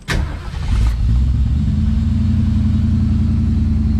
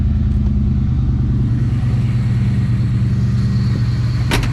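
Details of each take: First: 1971 Ford Maverick 302 V8 after the Edelbrock Pro Flo 4 EFI swap: brief crank, catches within about a second and settles into a steady, even idle. Clean, quick start the owner never got with the carburetor. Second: 1971 Ford Maverick 302 V8 with a newly installed Edelbrock Pro Flo 4 EFI: steady deep idle broken by a single sharp pop. Occasional backfire; the owner suspects the distributor timing (about -12 degrees, not yet set with a timing light).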